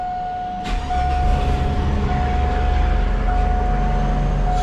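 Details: 2004 Chevy Silverado after a fuel pump replacement cured a no-start, with good fuel pressure confirmed. Brief crank, then it catches immediately and settles into a smooth, steady idle with a low even rumble; normal start and idle.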